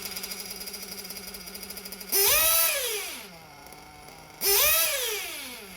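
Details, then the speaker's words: RC 1/8-scale nitro engine with a lean low-speed needle: it revs up well and drops to idle, then the thin buzzy idle rpm immediately creeps up because the engine isn't getting enough fuel at idle. "drops down to idle okay but then almost immediately you can hear that the idle revs are going up so the rpm on idle goes up because now the engine isn't getting enough fuel on idle"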